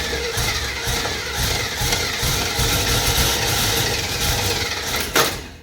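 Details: 1968 Camaro, 327 with 4-speed, cranked in neutral via a new starter switch with no fuel line hooked up and no pressure at the carb: steady rhythmic cranking with no firing; crank, no start from no fuel delivery.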